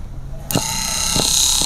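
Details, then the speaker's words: Car electric power steering (MDPS) with steering moving on its own: thin high-pitched whir rising with steering speed as wheel turns, light knocks underneath; assist motor noisier than it should be, cause unconfirmed. "Nah ini kan sudah nyala Ada suara harusnya enggak harusnya enggak lebih halus lagi akan bergerak sesuai dengan pergerakan setir pergerakan setir semakin setirnya diputar kenceng suaranya juga makin kenceng"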